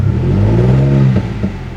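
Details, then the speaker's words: Infiniti G35 with a rough idle that died in traffic, check engine light flickering, coil already tested: revs rise then stall and sag about a second in, a flat, struggling rev with no power; cause unconfirmed. "it doesn't sound like how it's supposed to and then I put the gas pedal down and it doesn't like it has like no power to it"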